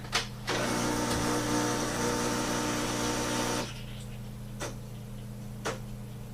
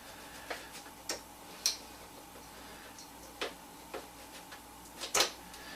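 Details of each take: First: Breville BES250XL espresso machine after repairing its failed, out-of-stock pump: steady low buzzing hum in two even stretches with a short pause; vibration pump sounds healthy and pumps normally again. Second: Breville BES250XL cappuccino machine, pump not working: only sharp irregular light clicks about once a second with no pump buzz; vibration pump seized, tested by powering it directly, later restored rather than replaced.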